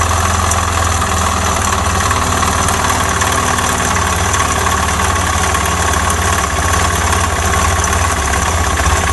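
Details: Suzuki Djebel 250XC motorcycle: fast, regular metallic knock riding on a low idle thump, steady with engine speed. It is a heavy internal engine knock, after which the bike would not start again.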